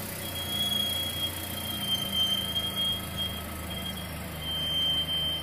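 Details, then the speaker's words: 2011 Chevrolet Aveo driving: a thin, high, steady squeal comes and goes over low engine and road noise; the front brakes need replacing. "okay today we're out here working on a 2011 shivy AO that needs uh front brakes I'll put a clip in of what it sounds"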